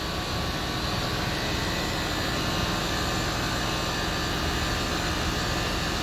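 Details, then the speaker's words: Land Rover Discovery 3, newly fitted air suspension compressor, off-road mode, tank now full so rising faster: steady even hum and hiss, no knocking; normal compressor running. "there's just going all the way up now it's filled the tank up it's starting to go a bit faster"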